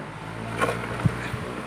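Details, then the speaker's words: Slow German-brand electric fan after its power cord was repaired and oil was worked into the front bearing, final test at speed one: low, steady motor hum with a couple of light ticks, no rattle or grinding. Normal running. "Ayan final testing natin ayan naka number one aan mabilis na"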